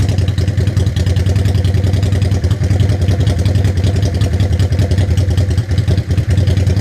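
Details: 1985 Honda Shadow 500 V-twin after dual carburetor sync: even, steady low idle thump with no hunting or misses; carbs balanced, running smoothly.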